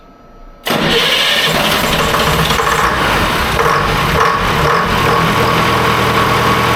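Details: Electronic Detroit Diesel 453 two-stroke cold start: cranks briefly, then catches almost at once and settles into an even, busy two-stroke clatter with no misses; a clean, healthy cold start.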